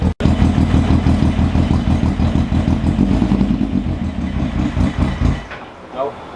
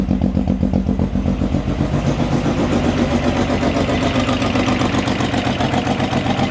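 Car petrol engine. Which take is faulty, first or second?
first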